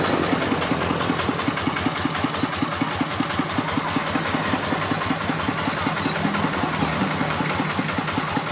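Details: RD 85 S-series single-cylinder diesel tractor engine after repair: steady, even thump at about two and a half beats a second, regular idle with no knocks.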